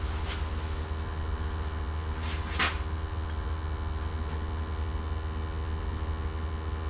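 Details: Gas water heater after its upside-down flue was corrected, burners lit during combustion and draft testing: steady even low rumble, no popping, surging or whistling; burner firing cleanly, normal operation.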